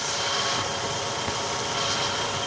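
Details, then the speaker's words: Ravon R3 after alternator belt and pulley grooves cleaned over a morning whistle: even idle hum with only soft hiss, no belt squeal or other whistles; normal idle. "ничего абсолютно каких работы других свистов нет"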